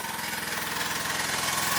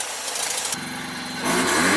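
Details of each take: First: 1985 Mazda RX-7 GSL, carbureted 12A rotary, idling after the idle was adjusted: lumpy, stumbling idle with dropped beats, like running on one rotor; the owner suspects fouled spark plugs and plans to pull and clean them. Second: 1985 Mazda RX-7 GSL carbureted 12A rotary, warm, after leaning the carburetor mixture by further half turns: catches, revs briefly, then settles into a steady, even idle with no misses; healthy idle.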